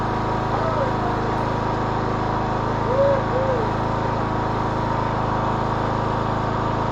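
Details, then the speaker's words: 2014 Troy-Bilt Bronco, Kohler 17 HP Command, after choke/throttle cable adjustment: even steady drone at constant speed, no surging, popping or knocking; normal running. "This mower sounds really good. Kohler 17 command. Sounds good. What we want."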